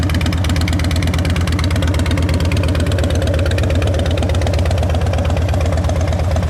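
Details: 2010 Harley-Davidson Dyna Wide Glide V-twin, with a new battery, adjusted clutch and fresh gas: loud, even idle lope at roughly three firing pulses per second with no knocks or misses. Normal idle.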